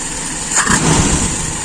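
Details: Small single-cylinder carbureted engine after enriching idle mixture and adjusting idle mixture screw: short burst of steady, even idle without stumbling or drop when throttle released; normal idle.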